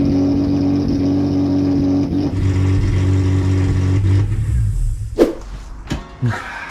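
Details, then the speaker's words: Toyota MR2, fuel pump ruled out with relays bypassed and positive fuel supplied: lumpy uneven beat about three pulses a second, running a cylinder down, then dies with a few clunks; misfire then stall, cause unconfirmed. "The fuel pump isn't the problem, and with positive fuel and all the relays and all the fuel pump bypassed, it still cuts out. And also it runs like a bag of shit. You could hear it was running a cylinder down."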